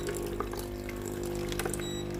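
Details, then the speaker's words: Philips GC7051 pump-type steam iron brought in for no steam output, opened up with the D-key pressed: a steady low electric hum under splashing water as the pump pushes water to the soleplate through the water hose, so pump and hose test normal. "ปั๊มน้ำทำการปั๊มน้ำนะครับสังเกตนะครับผมปั๊มน้ำสามารถปั๊มน้ำมาที่หน้าเตาได้นะครับ"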